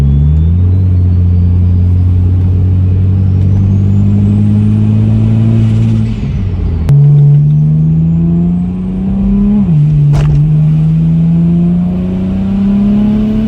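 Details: BMW 335i N54 (30 psi boost) pulling through rising revs and gear changes with sharp single pops under load; cylinder 4 misfiring with codes, owner fears engine is done; cause not confirmed.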